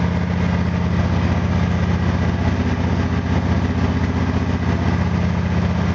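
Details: Small engine (FG8) after spark plug gap increase, warmed up about two more minutes: steady, even low putter about three beats a second, no hunting; idling smoothly, emissions down and readings steady.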